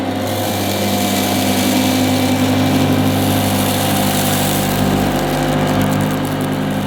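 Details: 1977 Hoover Junior Deluxe upright vacuum: steady, smooth motor hum with an even whirr, no rattles, scrapes or surging; owner calls it the quietest Junior Deluxe/Starlight he's used; normal running.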